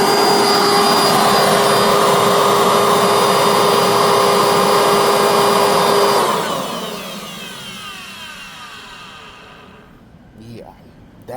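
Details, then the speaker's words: Rare 1990s Dirt Devil vacuum, no brush roll fitted, power on and off: loud coarse motor roar with steady high whine, then a long spin-down; motor sounds rough and tired, in worse shape than the Hoover. "does not sound too pretty at all. The Hoover is definitely in way better shape than this old girl right here."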